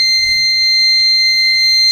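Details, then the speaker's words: Microtek Super Power 912 12V inverter works on battery but on mains cuts output and sounds a steady, unbroken high-pitched buzzer; about 6 V stays on the change-over relay coil instead of zero. "जिसका fault है कि यह battery mode पर बिल्कुल सही काम कर रहा है और जैसे ही मेन सप्लाई से कनेक्ट करते हैं तो यह आउटपुट भी बंद कर देता है और बजर बजने लग जाता है"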